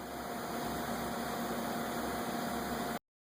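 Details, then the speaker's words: 1998–1999 Kia Sephia 1.8L DOHC after replacing spark plugs (P0301–P0304 misfires, rough running, carbon tracking seen): steady, even idle under a constant hiss, no stumbling or skipped beats; running smoothly on all cylinders. "so we warrantied out the plugs and now it's a smooth [Music]"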